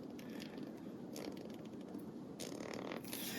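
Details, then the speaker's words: Ratchet (Snap-On vs Pittsburgh Pro comparison), taken apart and relubed: short bursts of quick, even, very quiet, very solid clicks as the handle swings back, no grinding or skipping; pawl working properly. "Very quiet, very solid clicks."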